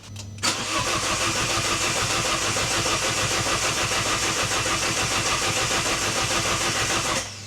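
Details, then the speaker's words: Alfa Romeo Giulietta Cloverleaf that was using coolant, after sump cleaned and resealed and battery charged: brisk even cranking, quick catch and steady idle, no nasty noises; healthy start. "So, sounds really healthy actually. I've charged the battery up, so it is turning over nicely and no nasty noises there."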